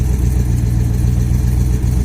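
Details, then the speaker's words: Chevrolet Colorado with V8 swap, first start in a while with partial exhaust: muffler on, no muffler-back, no manifold gaskets; loud deep idle with faint fast ticking from exhaust leaks. "i also don't have the manifold gaskets on so you're gonna hear the ticking in there but she's sounding pretty nice"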